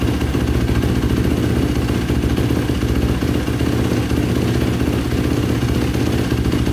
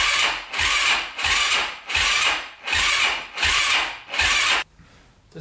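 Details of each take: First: 2005 Yamaha YFZ450 ATV with a big bore, start after rebuild (owner suspected a clogged pilot jet). Steady single-cylinder thump at fast idle, even and clean, and no longer shutting off. Normal running. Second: 2005 Yamaha YFZ450 big-bore single, first start after rebuild with fresh oil and battery just hooked up: slow, labored cranking at about one and a half compression heaves per second with no catch; owner says it isn't spinning over fast enough. Cause unconfirmed.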